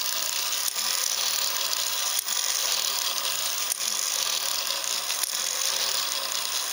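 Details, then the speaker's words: Ornithopter gear train run as slowly as possible by an EastSky motor of roughly 4200–5000 kV with a 10-tooth 48-pitch pinion: thin high whir with a sharp ratchet click about every 1.5 seconds; glide lock catching normally. "I can rotate it forward with the motor of course but if if I go and try to move it back then it's just going to go up into the glide lock position which again would be right there"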